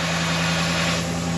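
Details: Dodge Ram 1500 with start-up problems, after fuse/TIPM fuel relay fix: even idle with a steady low hum and no misses, ticks or stumbles; engine runs smoothly.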